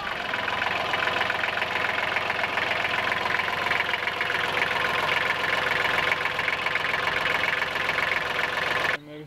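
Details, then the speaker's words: Kubota L3010 tractor, D1503-E three-cylinder diesel, first start after head gasket replacement and reassembly with fuel bled; steady even diesel clatter at idle, no misses or knocks, before shutoff: sounds good, normal diesel idle. "sounds good though don't it"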